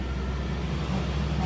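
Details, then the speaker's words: Two-door fridge that stopped cooling after its compressor died in a power outage, restarted after repair while still empty. The compressor runs with a steady low mains hum and no knocks, drawing about 1 A falling to 0.9–0.86 A, versus 3–4 A before; normal again. "Ini sudah jalan. Ini kompresornya sudah jalan. Di sini 1 ampere, 0,9 sudah."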